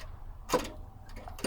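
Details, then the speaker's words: 1964 Corvair Monza during a tune-up, carb choke being moved: two sharp clunks about a second apart. The owner wonders if the choke spring is dead or disconnected and bouncing off the bottom shroud; the cause is unknown. "what is the clunking is it is it just is it is the spring dead is it disconnected and bouncing off of the bottom shroud"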